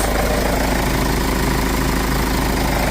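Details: 2012 Kia Sorento diesel after repair for loss of power and hard starting (P0087, P1186): steady, even idle clatter with no hunting. Fuel pump pressure is now 50 psi; running normally.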